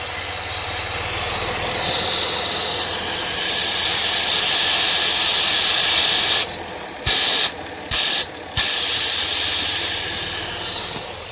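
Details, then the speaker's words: 2007 Dodge Nitro 3.7 V6, 147k miles, check engine light on, idle surge: steady loud airy hiss over the idling engine, briefly cut when covered, from a hole in the PCV hose. Vacuum leak hiss. "Yep. There's a hole in that PCB line, I want to say. Not sure where that hose go to, but I know it's leaking."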